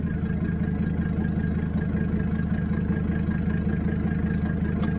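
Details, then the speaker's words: Mercedes OM617 diesel running waste motor oil, injectors 300,000 miles overdue: deep, lumpy clatter with an uneven, misfiring, stumbling idle and nasty blue-white smoke; rough running from fouled injectors needing replacement. "So I'm getting tired of having to spray the Bill Cosby in a can and smoking out the whole interstate with nasty blue-white smoke from these injectors being 300,000 miles overdue to be changed."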